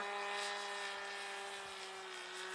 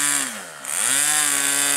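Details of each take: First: RC plane glow engine in flight with a loose muffler: a steady high-pitched drone with a hollow, echoing edge. The muffler bolts are to be Loctited to the block. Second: Aero-star .40 RC plane glow engine in flight: high steady buzz with one dip and a clean recovery, then holds even; normal running.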